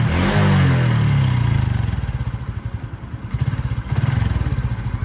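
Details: Honda Wave 110i 2021 motorcycle idling: quick fairly even tapping about three to four per second on the low thump, a knocking engine noise from the top end, cause unclear, being fixed.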